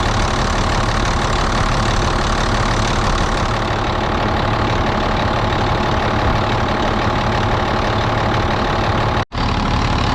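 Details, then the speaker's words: Loud diesel idle with a raspy, puffing chuff over the rumble from a used Volvo A30C off-road haul truck; an exhaust leak is clearly audible, which the seller had disclosed. "that one's definitely got an exhaust Lo which they said it did you can hear that exhaust leak in this one pretty good"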